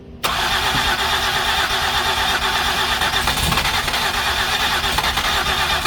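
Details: 2008 Ford Escape with previous repairs, cleaned spark plugs and coil packs refitted: long steady cranking with hints of catching but no start; mechanic thinks it's getting too much gas.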